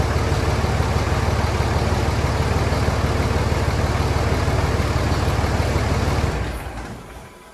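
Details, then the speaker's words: Cummins diesel truck at idle after valve lash adjustment: steady even clatter with no sharp valve tick, then winds down at shutoff; valve train noise much quieter than the rattly ticking before. "but I would definitely say it's quieted down quite a bit it was definitely pretty rattly before"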